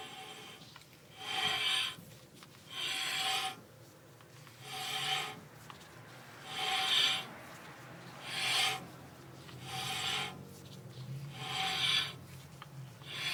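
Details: VW Type 3 Squareback: a rasping scrape in rhythmic bursts about every couple of seconds, once per wheel turn, from a front disc brake rubbing.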